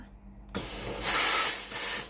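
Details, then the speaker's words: Philips PSG8160 steam generator iron: after warm-up the steam test with the steam button gives a sudden hiss of steam that swells and eases over a second or two; boiler heats normally, steam output normal. "เทสระบบไอน้ำกดปุ่มจ่ายน้ำตามคลิปวีดีโอ"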